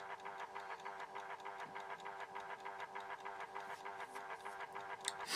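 Steady mechanical whirr with light ticking at roughly three per second; that's the time switch motor winding its spring reserve, normal.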